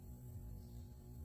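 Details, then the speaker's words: LinMot EtherCAT linear servo actuator controlled by a Beckhoff PLC via TwinCAT 3, just enabled: low steady hum with a faint rasping edge as it holds its current position; normal servo holding hum. "we can hear the humming of the servo as it is trying to hold the current position now that it is enabled"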